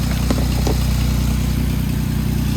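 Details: 2008 Jeep Wrangler just started after replacing the starter and battery: steady, even idle with a smooth low pulse and no misses, knocks or rattles; engine healthy.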